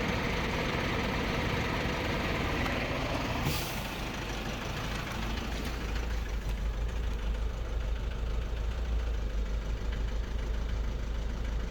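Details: Vauxhall Meriva 1.6 CDTI diesel idling with an uneven, stumbling rumble, roughly two irregular beats a second: misfire, with fault code P0016 crankshaft/intake camshaft position correlation not plausible.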